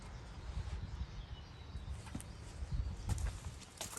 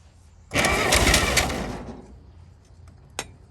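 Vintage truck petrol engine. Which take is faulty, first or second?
first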